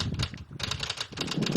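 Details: Car that won't start, key turned: a brief starter moan, then rapid uneven clicking as the solenoid chatters with no cranking; first suspected battery or starter motor.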